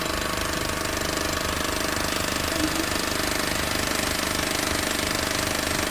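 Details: Honda New Civic engine with a fast, very regular tapping of about three and a half per second over the idle; the cause is not clear.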